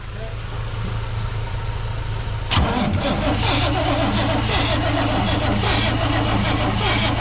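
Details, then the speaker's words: Lowered 1988 GMC Sierra 3500, air filter off: starter cranks evenly at about four beats a second but it never catches; no fuel delivery, and it ran only on starter fluid. "i mean any fuel going if it has no fuel pump it's gonna be hard for it to start i guess"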